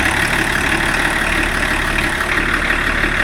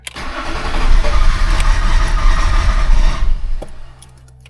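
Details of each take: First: BMW E34 TDS diesel after first service in over ten years, with new water pump and belt rollers: steady idle, even clatter around three beats a second, no rattle or knock; normal idle. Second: BMW E34 TDS diesel, first service in over ten years, fuel filter left empty: engine catches, runs roughly a few seconds, then dies from fuel starvation.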